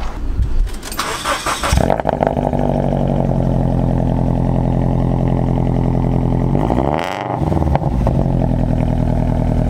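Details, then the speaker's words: Car with an aftermarket exhaust, last run before swapping back to the stock exhaust due to a California modified-exhaust law; the starter whirrs, then the engine fires into a deep, loud rumbling idle with a brief rev. "so that's last time it's probably ever gonna sound like that but let's get the show on the road"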